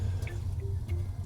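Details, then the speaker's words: Nearly new A.O. Smith gas water heater heating up: faint irregular drips and ticks over steady low burner rumble as water drips inside onto the burner, making it flare; owner thinks not a tank leak. "okay you can hear the water dripping onto the the burner and you can see it flaring"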